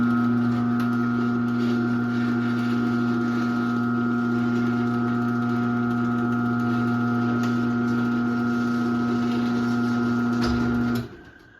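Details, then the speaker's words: 2001 Chamberlain 7320 1/2 HP chain-drive garage door opener, no door attached, running on a non-original rail: smooth constant motor hum with light chain whir for about eleven seconds, then a clean stop; quiet for a chain drive, healthy. "So yeah, as you can tell, this opener is pretty quiet for a chain drive. Obviously the belt drives are going to be quieter than this, but for a chain drive, this one's pretty quiet."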